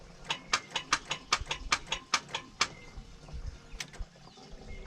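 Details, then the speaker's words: Toyota 2JZ-GTE VVT-i on stock ECU, run outside the vehicle on partly finished chassis wiring with rigged grounds and power: sharp, slow ticking about two or three a second that fades without catching; weak crank, cause suspected, not confirmed. "Hey, it's all part of it. I also had to rig up some grounds and some powers. Let's try to get it a little better. Was cranking good the other day."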